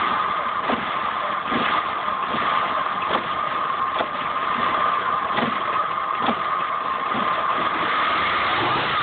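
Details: 2005 Saab 9-5 Aero at idle with codes P1300 and P1304, still misfiring after a new direct ignition coil: steady whine with a dull thump or stumble roughly every three-quarters of a second.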